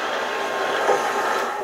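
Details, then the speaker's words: 4x6 inch import horizontal bandsaw running with guide rollers set too tight, blade deflecting: steady cutting rush with light tapping as the oversized blade weld hits the rollers; fix is backing the rollers off until the tapping stops. "hitting the weld you can adjust either one of these so probably a good way to adjust it when you hear it hitting the weld you back up a little bit that weld is oversized it really should be the same thickness as the blade"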